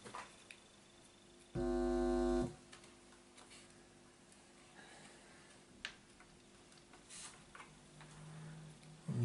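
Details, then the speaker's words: Casio DH-100 digital horn, stored unused since the nineties, with a common squawk fault: a harsh, buzzy tone about a second long, heard while checking the power amplifier input. The amplifier faithfully amplifies the squawk, so the signal likely comes from the top board. "okay so as we would have expected the power amplifier is faithfully amplifying the squawk"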